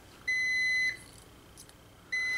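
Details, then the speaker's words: Multimeter continuity test on a vehicle door (dome light) switch: two clear high-pitched meter beeps as the switch closes, showing continuity through the contacts. "open your door it closes the current so you have continuity because the current continues to pass through the switch turns on your dome light"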